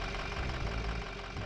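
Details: 2005 Ford F250 with 6.0L Power Stroke diesel that starts hard and runs rough, during the injector cutout test: diesel clatter at idle with a slight stumble and dip as each injector is cut in turn. Uneven idle.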